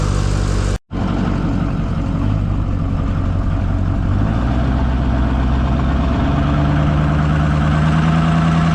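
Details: 2005 Ford F-350 6.0 diesel after custom side-exit exhaust install: catches after short crank, settles into deep steady even idle with low exhaust rumble; sounds healthy.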